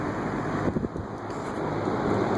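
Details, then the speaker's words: Air King 20" box fan on medium behind a plastic grille, bearings newly freed with WD-40 but not yet cleaned: soft even rush of air with no ticking, rubbing or grinding; normal medium-speed running. "I don't like plastic grills cuz they impedes in an airflow but he's putting out decent air 23:7"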